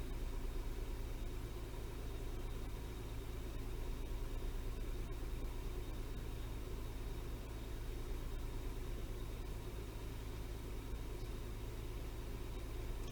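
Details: Toyota 3.0L/3.3L V6 after replacing the faulty VVT-i oil control valve: smooth, even low idle with steady beat, no stumble or shake, no check engine light.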